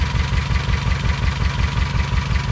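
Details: 2007 Honda Civic with very shaky idle and P0302-type misfire code: uneven lumpy idle with skipping low chug, single-cylinder misfire; coil suspected, spark to be tested.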